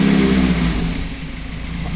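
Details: 2001 Toyota MR2 with Honda K24 swapped petrol four-cylinder, untuned, big muffler: blipped through a couple of free revs, climbing and settling evenly, no knocks or misses, healthy.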